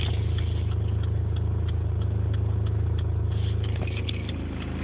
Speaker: that's a horrible thrumming noise at idle sounds like it's kind of surging